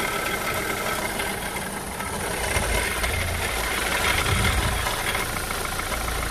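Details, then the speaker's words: Renault Clio 3 1.5 dCi 85 hp diesel, 300,000 km, idling: rough gritty whirr over the diesel clatter, steady with engine speed; alternator bearing noise. "on a un problème du bruit entre les allées on a un problème de bruit vous l'entendez"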